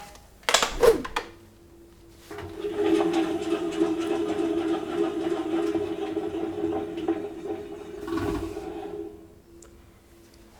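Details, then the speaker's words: Old washing machine with stainless (inox) tub, before bearing replacement: steady hollow rumble with dry, gritty whirr during drum spin; the drum bearings are near the end, the shaft seal has failed and the balls sound dry. "This is the sound of the bearings already going towards the end. The semering has let go, the balls sound dry already and this is a sign that they urgently need to be replaced."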